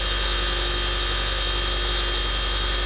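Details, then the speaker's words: 3D-printed Frankenstein RC car differential (nylon diff gear) on the workbench, 600 W motor near full throttle, unloaded: a steady high whirr and hum from motor and gears, no clicks or skipping teeth; the gearbox runs normally. "The whole workbench was vibrating with complete mechanical efficiency. You could hear how efficient those gears were."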